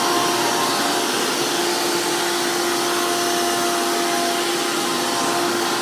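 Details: 2002 Hoover PowerMax II U5246-940 upright vacuum with 12 amp Elite motor, the noisiest Elite motor, after motor work: loud, steady high-pitched whine with constant rushing roar, no wavering or rattles; normal strong, healthy motor run.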